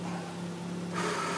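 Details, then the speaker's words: Toyota MR2 electronic power steering motor running after reconnecting the electronic ignition wiring: low hum, then a steady whir as the assist motor comes alive; steering assist working and the power steering malfunction indicator cleared. "when you hear that sound that means the power steering is working and you'll see right here the car that there's no more power steering indicator malfunction"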